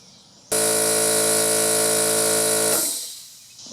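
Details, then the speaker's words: DeWalt 6-gallon hot-dog compressor after seized-piston repair, pumping up on 25 ft cord: loud even buzzing drone, then abrupt clean cut-out at factory-set 135 PSI; normal running, air filter missing. "She cut out. 135, which is the way they're set at the factory."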